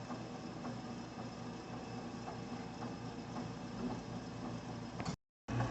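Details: Walnut Medical home fill oxygen system with the filling light on, filling a B or D tank: a quiet even hum with soft regular clicks about twice a second. The compressor is filling normally.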